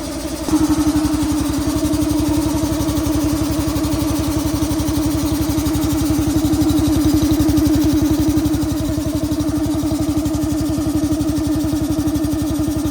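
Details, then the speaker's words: Robot boxer machine's small single-cylinder engine, sat over a year with old gas, pull-started: settles into a fast, even putter with steady tone, normal idle while warming up to burn off old gas. "the pull start worked, and we're going to let it warm up for a little while, and then we'll check the airline."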